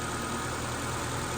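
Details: Ford Focus with a replacement engine, first run-up after install: smooth, even idle with a steady low hum and no knocks, ticks or misses.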